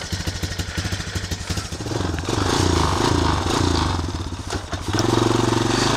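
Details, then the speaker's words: 2002 Honda TRX250EX Sportrax, five-speed semi-automatic, revived after 10 years outside: starts easily and idles steadily, quick throttle blips rise and settle cleanly; sounds better than before, running well. "check this thing out starts up no problem sounds a little better than it did before"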